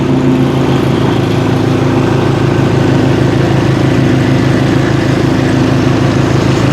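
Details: Bad Boy zero-turn mower, PTO engaged, after replacing blades, spindles and two idler pulleys with worn, noisy bearings that caused a deck scream: even, steady engine drone, no grinding or squeal. Normal running.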